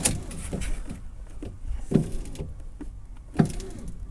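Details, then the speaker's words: 2005 car with about 130,000 miles: a short motor whir of about a second at each window switch press, with no glass travel; the window regulator cable had snapped, found after motor removal. "it's definitely trying I can hear the motor trying"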